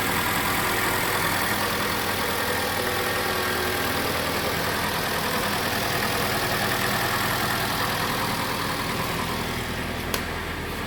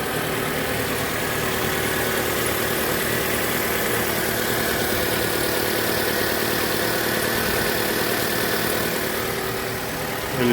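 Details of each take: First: Mitsubishi Lancer X 2.0 CVT, cold idle after repair, with the alternator sent to a contractor and the injectors cleaned: steady, even idle, and the alternator belt squeal that had appeared only when cold is gone. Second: Mitsubishi Lancer X 2.0 with CVT, cold idle: faint steady high squeal near the alternator belt, only when cold; rollers and belt were already replaced without effect, and the mechanic suspects the alternator bearings.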